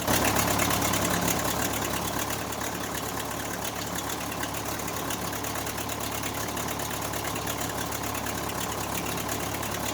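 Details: Case 580C backhoe diesel, first start after valve adjustment, injector replacement and fuel stop cable fix; steady idle with even clatter about three beats per second, no misses or odd knocks. Healthy normal diesel idle.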